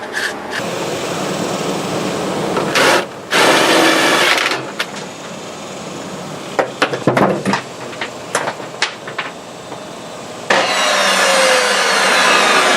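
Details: Ridgid table saw test run after armature bearing replacement, before strain relief fitted; two short bursts of high motor whine winding down between handling clanks, spins freely, no grinding: normal running.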